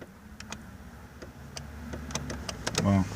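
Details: 1999-2003 Chevy S10 crew cab passenger power window: faint sharp clicks and brief motor hum, no sustained run; motor has power but regulator arms jammed after the outer weather seal moved and let the glass overtravel.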